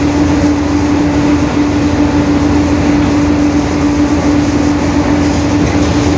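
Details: 2021 Marcopolo Torino S bus on a Mercedes-Benz OF-1721 BlueTec 5 diesel chassis, in motion: steady mid-pitched whine evenly over the bus's rolling rumble; differential whine (roaring differential).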